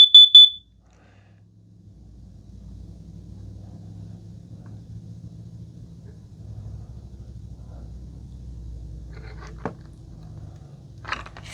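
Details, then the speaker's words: Kidde plug-in gas and carbon monoxide detector, plugged in, test button pressed once: three sharp, very loud high-pitched beeps then quiet room hum; self-test working normally, display showing all eights. "now let's do a test press the button one time we get all Eights that is really really loud that is one of the loudest ones I've ever"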